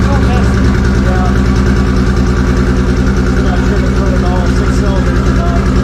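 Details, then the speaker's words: Toyota 2JZ inline-six swapped into a Z28 with lumpy, uneven idle, loping beat and sputtering pops; found to be running on only three cylinders. Misfire cause not yet found. "I really do like the sound that comes to the board. Not necessarily when it's popping and missing and sputtering right now, but it did have a really good deep sound"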